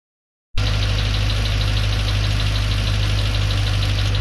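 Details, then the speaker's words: Freshly rebuilt Land Rover Discovery 2 Rover 4.0L V8 idling after a first run of about 15 minutes including high revs: steady idle with light, quick ticking about four taps a second from the right-hand driver's side; owner suspects hydraulic tappets. "there is a little bit of a tapping sign from the well this side of the engine the driver's side the right hand side hydraulic tappets maybe"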